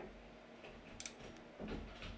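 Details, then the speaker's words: Yaesu FT-450 transceiver: it still receives, but when keyed there is a sharp relay click and the fan goes to high speed with no transmit output. The cause is suspected, not confirmed. "see it's got signal but it's not transmitting nothing when the fan goes in the high speed as if it was transmitting but nothing is happening"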